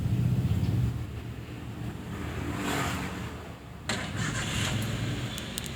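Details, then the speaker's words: Toyota Avanza with heavy cranking and battery warning light from a weak undercharging alternator, after alternator repair, tightening and refitting: brief starter crank, engine catches and settles into an even idle, no dragging; battery light off, charging normal. "gambaraki tidak menyalah ketika mesin dihidupkan itu artinya pengisian normal"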